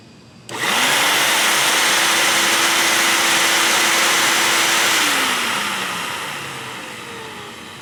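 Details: Shop vac after its noisy motor was lubricated with a little oil and the filters were blown out, retested: motor spins up to a clean steady whine with a smooth rush of air, then winds down evenly, no grinding; bearing sounds healthy.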